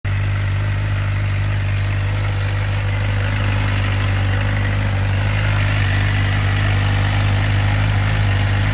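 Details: 2007 Suzuki GSX-R600 idling steadily with a faint thin whine above the low engine hum at low rpm, starting after the bike fell over in the garage; owner says it seems to come from the top end, right side.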